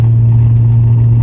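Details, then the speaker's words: Nissan Skyline R32 GTR driven around the block in rear-wheel-drive mode, front shaft removed, no boost: constant low gear drone with a rough, marbly grinding edge under the engine note; mangled third gear debris remains after draining gearbox oil four times. "I drained it four times and it's still pretty bad you probably hear it and it's still pretty gearbox Marbley from the third-year demolition"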